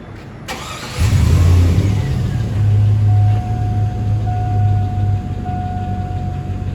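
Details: 2002-2004 GMC/Chevy 1500 4.8L V8, two-wheel drive, with P0300 random misfire from bad ground: cranks, catches, settles into steady even low rumble without stumbles. Normal idle.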